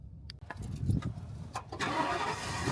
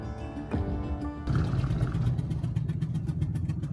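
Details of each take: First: Ford motorhome picked up from Ford dealer after repair: clicks, then engine starts promptly and settles into quiet steady idle, much quieter than before repair; normal start. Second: Ford motorhome driving on highway: rapid sharp puffing tick keeping pace with engine speed, same sound as earlier Atlanta breakdown; brand-new spark plug blown out of the head, engine under warranty.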